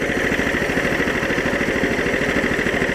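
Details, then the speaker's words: New Power Fist 15hp 420cc single-cylinder engine replacing the 11hp Honda in a Case 700 series tractor, Castrol 10W-30 plus additive, choke off in warm weather: steady putter about 200 pulses a minute, even, no knocks or misses; healthy idle. "I got the choke off because it's pretty warm outside. So let's see if it starts. May need some choke."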